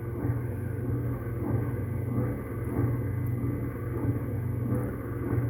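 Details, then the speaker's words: Hemi Duster Mopar A-body wiper motor on the rebuilt, resealed wiper transmission with new bushings, apparently drawing about 8 amps: even low hum, sweep rhythm just under once a second, no knocks or grinding; normal operation. "Good. We got wipers now."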